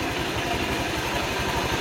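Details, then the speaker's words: Honda Vario 150 scooter idling after an oil change to a mix of Shell Rimula R4 diesel oil and Bimoli cooking oil; a harsh scraping rattle from the CVT masks the engine, which the owner says sounds fine. "Oh ya Mbah abaikan suara srek-kreknya Mbah itu dari CVT"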